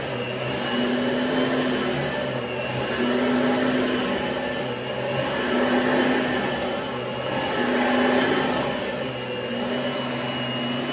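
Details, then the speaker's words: Oreck XL21 upright vacuum after replacing a busted fan chamber and fitting a new belt: steady motor hum with a high fan whine swelling gently with each push-pull stroke, smooth and even. Normal running. "The belt, new belt I put on, it's perfectly fine, so I'm just gonna turn it on just for a few seconds, just for the video. Works perfectly."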